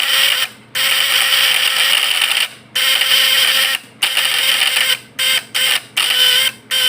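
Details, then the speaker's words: Points-type (platina) PS fish-shocker vibrator inverter now hooked to a 100 W battery with the final secondary connected: harsh high buzz in bursts with short breaks, sound changed but output still too weak, not finished. "Oke, udah nampak kan perbedaannya. Tapi ini masih kurang, teman-teman. Jadi ini belum jadi, belum selesai."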